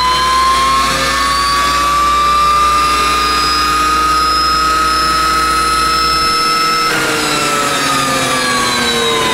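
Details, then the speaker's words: Corporate jet, right TFE731 turbine engine: whine rises slowly for about seven seconds without lighting, then winds down as the start aborts; thermal image shows the right start bus bar hotter, so the starter draws excess current in the first four seconds. "the flare image shows that the right start bus bar going to the right start relay is a lot hotter that means it's pulling a lot more amperage than the left during the 4 second first 4 seconds of the start sequence"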